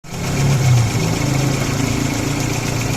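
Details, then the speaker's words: Carburetor or Euro car idling with an uneven, stumbling beat that swells then settles, causing jerking on the road. Misfire from a spark plug wire shorting its current; it also raises fuel consumption. "यह plug wire देखें short हो रही है इसका current shirt हो रहा है तभी गाड़ी झटके मारती है और मिसिंग करती है"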